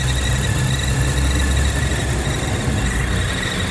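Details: BMW E46 six-cylinder at idle: steady engine hum with thin constant high squeal; source not yet pinned down.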